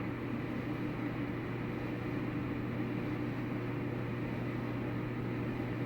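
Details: Samsung dryer running after taking it apart to remove and reinstall rollers, tensioner and belt, repairing earlier rumbling and squeaking: smooth, even low hum with no thumping, squeal or scraping; the drum turns quietly and normally.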